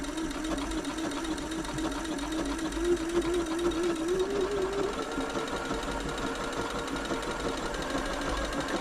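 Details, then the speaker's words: Janome Atelier 6 sewing machine after a full service including the walking foot mechanism: smooth, even whirr with a steady stitching rhythm rising gently in pitch with speed, no clunks or grinding. "that was a really nice smooth machine"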